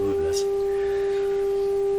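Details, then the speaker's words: Canadian Westinghouse 981 shortwave radio during sensitivity baseline check, fed a 400 Hz tone from a signal generator: clean, steady mid-pitched tone without hum, crackle or distortion; normal audio output. "you can you can hear what this sounds like i have a 400 hertz tone"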